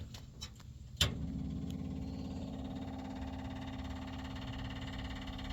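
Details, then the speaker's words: 1959 GMC, factory fuel tank cleaned and refitted with 5 gallons, key-on: sharp click then fast even clicky ticking hum as the electric fuel pump primes, should quiet once pulling fuel; electric fuel pump clicking while priming. "When I turn the power on, you're going to hear the pump, you're going to hear the clicky clacky pump, and once it gets quiet, that means it's pulling fuel."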